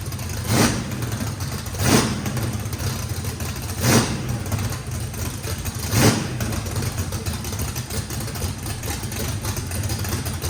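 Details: Brand-new drag-race motor with a radical camshaft, first fire-up, rough choppy idle surging louder about every two seconds, no blow-by. Overlap and lobe separation needed lots of throttle, blade about six percent open; normal lopey idle.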